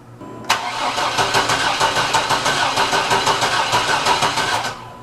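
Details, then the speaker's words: 1987 Chevy Astro van (description says 97) that had to be towed in, cranking but not starting: starter turns the engine over at about three even pulses a second for four seconds without catching. "and unfortunately we had to have it towed here and we had to push it in because for some reason it is cranking but it's not starting."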